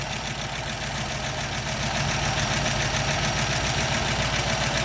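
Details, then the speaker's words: 1936 Buick Century 320ci straight-eight, not run in 3–4 weeks, idling after exhaust manifold leak repair: steady, even idle with a light regular valve tick over the exhaust note; no manifold puffing or leak ticking now. "And it is quiet, quieter than it's ever been. So I must have done something right."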